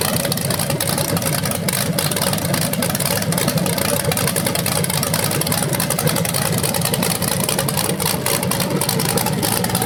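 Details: BluePrint 396 big-block crate engine for a 1970 Camaro SS, first run after oil priming and a timing check: steady lope with clean throttle blips and no knocking. It sounds healthy, though the owner notes the flywheel or headers sound different revving.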